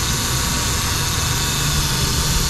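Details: 2015 Subaru Forester blowing hot air, engine running with AC on: loud, steady rushing roar with a harsh rattly low end, compressor screaming; gauges show low pressure, low refrigerant charge.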